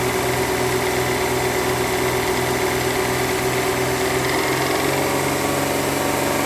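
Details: 2009 Mercedes W211 3.5 engine at idle: even idle with a light, regular knock about three times a second over the engine hum; cause of the knock not yet determined.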